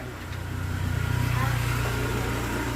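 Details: SYM 110 motorcycle with excessive engine noise; the top end is being pulled to check the head. Loud, rough roar rising with revs over a coarse mechanical clatter; cause unconfirmed.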